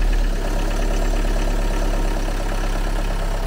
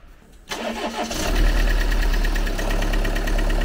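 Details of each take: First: Used car after restart, earlier lifter-like ticking from possible long standing now gone: even, steady idle hum with no clicking from the top end; engine now runs well, normal idle. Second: Used car, possibly standing a long time, restarted: quick start, then fast, even light ticking about three to four per second over idle; suspected hydraulic lifter short of oil, ticking disappeared shortly after.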